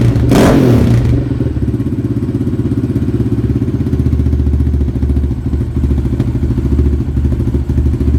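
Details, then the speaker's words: Yamaha Raptor after FCI intake install with MAP sensor boot refitted, idling: loud, throaty single-cylinder idle with strong intake suction and rough, uneven pulse; owner thinks it runs a little rich at the bottom and lean up top, needing Dynojet retune. "Hopefully, I can't see from there, but should be able to notice a little difference. You can definitely hear it sucking."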